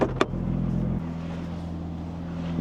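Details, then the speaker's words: Porsche 996 Turbo, 23 years old, 150,000 miles, idling during cold start after vacuum-leak fix: low, smooth, steady rumble, no hunting or surging, settles stably even with AC off; normal idle. "idling great but we'll wait for the cold start to uh be done being cold this car does sound amazing"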